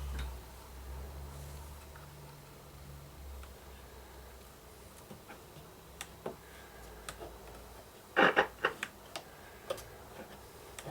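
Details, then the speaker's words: Dansette Popular record player, first power-up during restoration with the motor running: low mains hum with scattered sharp pops and clicks clustering in the middle; crackle coming through the amplifier's speaker, cause not yet found. "Well, the motor's running. See if we get any action at the amplifier. We're getting crackle in the speaker."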